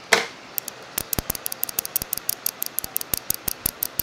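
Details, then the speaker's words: Fuel injector clicking on the bench while pulsed by tapping a battery lead for a DIY cleaning kit test: sharp, crisp irregular clicks about four or five a second, showing the injector opens and closes properly. "so you should hear that sound uh that's one way to know that it actually works should make some kind of noise"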